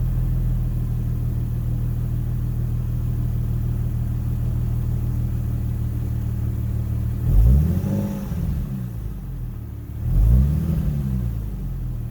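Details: 2010 Infiniti G37 Type S coupe, 6-speed manual, with a freshly installed Top Speed Pro-1 dual exhaust, starting and revving, heard from inside: steady deep idle, then two quick clean blips rising and settling smoothly, mellow note. Normal start and rev.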